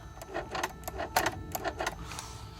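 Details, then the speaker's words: 1993 Mercedes 500SL E-gas throttle actuator activated via the gas pedal: quick bursts of whirring and gear ticking as the throttle motor sweeps; normal actuator movement, too many activations risk limp mode; the customer's mailed wrong-type module was found faulty. "You hear electrical, mechanical gears moving. If I do too many times, it might go into limp because you have to press on the gas pedal to do this. But you hear it clearly that it's moving. Gears are moving. So that's basically the way it's supposed to be."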